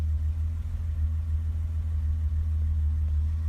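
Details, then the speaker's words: 1988 BMW 325 sedan, about 5 minutes after an overnight cold start, warming to temperature: low, smooth six-cylinder idle, steady with no misses, knocks or ticks; runs normally, no check engine light, 500 trouble-free miles last month. "Just starts and runs like she should. Easily an everyday driver."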